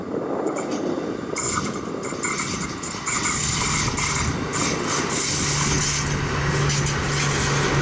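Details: SMART train no. 113/114 passing near Cotati, CA: thin high steady squeal and grinding over rolling rumble; wheel screech, cause unclear.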